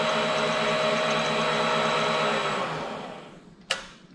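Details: Vevor mini lathe after replacing a busted pulley bearing that caused grinding, clunking and a wobbly pulley: smooth even motor hum and steady whine, no clicks or wobble, clean spin-down.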